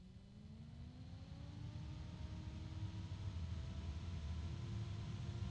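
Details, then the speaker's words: Computer cooling fan run up to full (high) speed: a smooth whir climbs steadily in pitch and loudness with no rattle or grinding. It is fairly loud but healthy, a normal fan at full speed. "up wow isn't that loud I have other fans that are louder"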